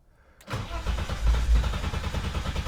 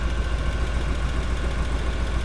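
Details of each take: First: BMW E30 325i forest find, not run in years; starter churns about two pulses a second with faint attempts to fire that never catch; fuel starvation from clogged fuel injectors, later removed and cleaned. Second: BMW E30 325i forest find, not run in years, just started after fuel injector rebuild; deep steady even idle with no knocks or stumbles; engine running smoothly, timing belt and hoses still to be changed.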